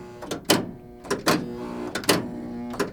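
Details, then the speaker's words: 1976 Williams Aztec electromechanical pinball machine: sharp flipper clunks about once a second, each trailed by a coil hold buzz of uneven loudness because the flipper linkages are a little worn. "If you're hearing a buzzing, that means I'm holding the flipper up. But that buzzing is not always the same volume. The flipper linkages are a little worn."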